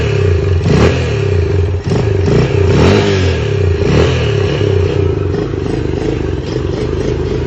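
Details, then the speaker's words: Lifan CityR 175, 10,800 km, cold, first start after a cylinder and piston replacement for a knock, carb flooded so it won't idle: revs up and settles with an uneven beat but no hard knock. Normal running. "І по-друге, просто А він холодний, але все працює, все нормально."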